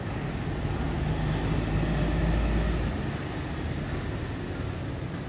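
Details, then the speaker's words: Heavy sliding gate after replacing four wheels and their plates, previously rough after 8 years: low, even rumble with no grinding or clunking; wheels now run smooth and healthy. "meski itu banyak cukup berat tapi ketika piringnya Baru 4 piringnya baru ini suaranya sangat halus sekali"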